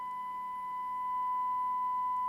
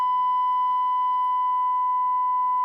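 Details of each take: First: Hacker RP30 transistor radio amplifier on a 1 kHz test tone at 25 mV while bias is increased, distortion falling from 1.8% toward 0.9%: steady, pure tone with faint overtones and quiet hiss, sound audibly improving; clean reproduction. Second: Hacker RP30 transistor radio amplifier, 1 kHz test tone at 25 mV with bias turned back down from its 0.9% best setting: rough, buzzy tone instead of a clean whistle, then a few clicks; severe crossover distortion from bias set too low.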